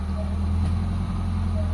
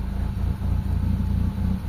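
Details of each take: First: Mitsubishi Lancer GLXi 4G92 manual, cold start, after cleaning the ISC, idling smoothly; idle rises steadily as the steering wheel is turned, showing the idle servo works, where before idle was unstable and stalled in traffic with aircon. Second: Mitsubishi Lancer GLXi 4G92 manual, idle drops and stalls in traffic with aircon; low slightly uneven idle stays flat when steering wheel is turned, no rise: idle speed control not compensating for load.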